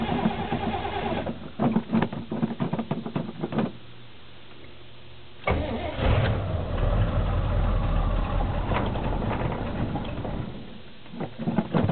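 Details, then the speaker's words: 1977 Chevy K10 carbureted 350 V8 cold start at 8°F with a non-working choke after an intake swap, pumped throttle, no oil pressure yet: long stuttering crank with sputters, then catches and runs lumpy and unsteady. Hard cold start, rough idle. "you can hear it it is not happy"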